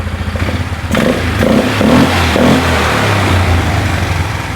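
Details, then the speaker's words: 2001 Polaris Scrambler 500 2x4 ATV revving: irregular metallic clatter on top of engine, a loose exhaust part rattling; owner has a spring to fix it later. "Yeah, it's that thing rattling. Okay. Which I got a spring to fix it, but I don't want to mess with that right now."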